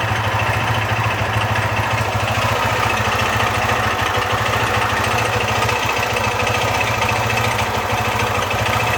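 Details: Honda Fan 125 motorcycle: small single-cylinder engine idles with a fast, even pulse and a rough metallic chatter over it; strange engine noise, cause unclear.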